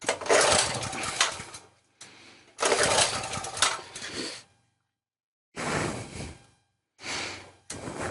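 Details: Sportsman generator, unused for a couple of years, started on choke: catches in short bursts that die within seconds, then restarts; it won't hold idle, with weak fuel flow to the float bowl and a sticking float questioned.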